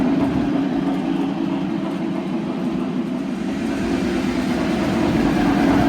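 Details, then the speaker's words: Lionel TMCC Pennsy S1 model locomotive, about 2000-2001, original second-gen Odyssey board, after gearbox maintenance and chuff repair, pulling heavyweight cars: loud steady motor hum with even chuff, no catches or grinding; restoration successful. "so i think so far the uh the mods and repairs and the semi-factory uh restoration here has been successful engines running"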